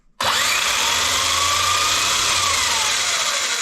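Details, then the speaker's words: Kyosho MP9 Evo 1/8 electric buggy on the bench after replacing worn center diff outdrive cups that caused a rear drivetrain bind, bass noise and overheating: clean steady motor whine, no rumble or grinding; normal drivetrain run. "it sounds normal. Well, I don't hear that sound. It just must have been the sound of all the cups were completely destroyed, man."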